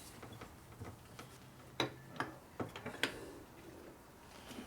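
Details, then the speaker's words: Harley Evolution 80ci engine (2000 FXR4) rebuild, cam gear turned by hand against its mating gear: sharp, uneven metallic clicks, as the cam slides easily and the gear is too loose (excessive backlash). "okay now if the cam slides easily the teeth are not tight which is of course yes the cam is definitely loose you hear the clicking noise"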